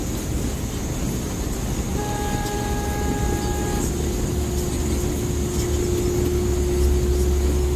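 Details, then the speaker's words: Car at 55 mph with a wet serpentine belt: steady high squeal at constant pitch over road and engine drone as the belt slips on its pulleys. "What a jerkwad, you know, damn, that belt is squealing. Holy cow. Squealing like a stuck pig."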